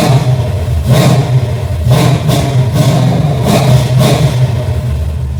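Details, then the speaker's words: Engine with a rebuilt Holley carb and a replacement fuel pressure regulator, on a cold start. Even low-rumble idle, then several sharp, clean throttle blips that rise and drop quickly; normal idle and revving, fixed. "That's what I call throttle response, baby."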